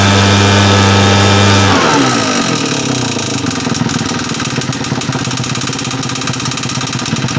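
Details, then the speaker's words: Husqvarna 580 BTS backpack leaf blower, two-stroke, also leaking fuel: steady drone rising with throttle, with a hard, regular rap clearly heard at low revs; internal engine knock, cause not yet confirmed before teardown. "характерны ту сейчас как раз и вот характерный суук прекрасно был слышен на низких оборотах тут уже естественно понятно что какая-то случилась беда"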